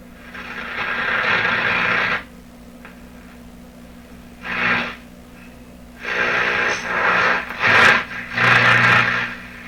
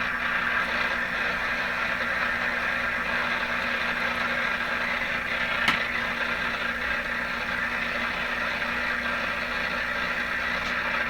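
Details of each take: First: Atwater Kent Model 36 radio with a suspect output tube, speaker refitted, antenna on red wire, turned up and tuned: irregular hiss and crackle bursts over a low hum, no station; radio seems to work, only household interference. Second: Atwater Kent Model 36 radio on outdoor wire antenna (no loop, no directionality), suspected bad output tube, tuned near 680; steady hiss and crackle, no station received. Radio interference noise.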